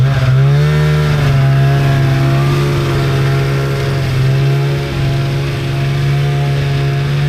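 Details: 1997 Polaris Indy Trail Touring two-stroke snowmobile, resurrected with carbs cleaned and oil pump bled, stock clutching, test ridden on a lawn without snow: strong, steady howl that climbs and holds smoothly, no misses or bogging; normal running under load.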